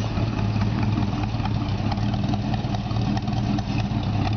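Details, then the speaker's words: 1950 Ford F1 short-bed pickup with Chevy 350 V8 and automatic transmission, idling parked; deep steady even exhaust burble with no ticking or misses, healthy; a slight squeak from a loose belt is also noted. "It's got a nice sounding exhaust to it."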